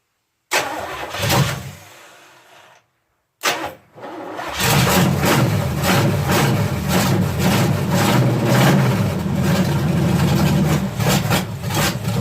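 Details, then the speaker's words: Malibu stock car first start: catches after a couple of cranks into a loud lumpy uneven run, then dies; little fuel in it, owner suspects timing a little advanced and carburetor bowl overfilled (heard percolating). "obviously there ain't no gas in that thing but there you go might be a little hot on the timing"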